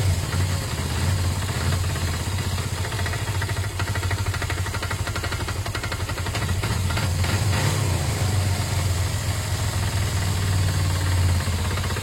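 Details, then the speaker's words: Motorcycle idling after a battery earth wire was refitted, revving fine with no power loss: a rapid, even knocking running through the rumble. Owner suspects it may just need fresh oil. Cause unconfirmed. "okay so yeah that's not something too healthy at all at this stage is that engine knock"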